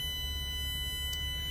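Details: Coach/bus air brake pre-trip: a steady high electronic low-air-pressure warning buzzer over a low idle rumble sounds until the tanks build toward the 100 psi minimum before moving; fast idle is about 700 rpm.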